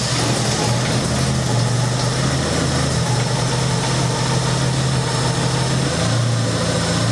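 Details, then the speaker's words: 1996 Honda Accord first start after head gasket job with ground exhaust valves and valve lash set: even, settled idle hum with slight speed rises and dips, no knocks or ticks; earlier tach/RPM fluctuation blamed on alternator; healthy idle. "Sounds good. Wow, he loves life. That sounds so good. So we should be all set."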